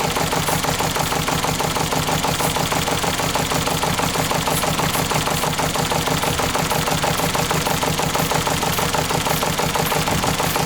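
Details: Ford Fiesta petrol engine at idle, bought as mechanical fault, sniff test showing no exhaust gas in coolant: regular thumping stumble about three beats a second, a cylinder missing, traced to a burnt valve.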